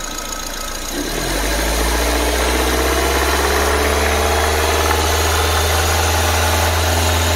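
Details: 2008 Nissan Livina X-Gear automatic, engine dry of leaks with new original parts, oil cap check showing no smoke: steady even idle swelling smoothly when revved, no knock, miss or vibration; engine sound normal.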